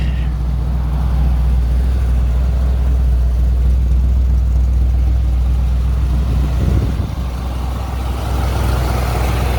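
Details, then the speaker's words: Buick started after sitting untouched since about September 2023, on a cold start around 60–70°F: loud, deep rumble with an uneven stumbling beat of about four pulses a second; the belt is audible and it is misfiring badly. "Yeah there's the belt you can hear it it's misfiring like crazy as we"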